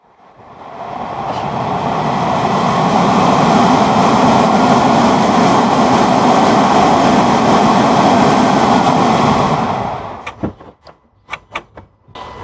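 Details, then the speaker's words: Audi AC/heater blower motor removed and checked, refitted with its control and wires for a test run: steady, even whoosh spinning freely, no grinding, ticking or bearing whine, then coasts down; needs no replacement, may only need oiling; normal run. "احنا شفنا كيف حركة المروحة كانت سهلة، ما في اي صوت للبيئة او صوت حركة المروحة لما شغلناها، فهيك بتكون امورها تمام"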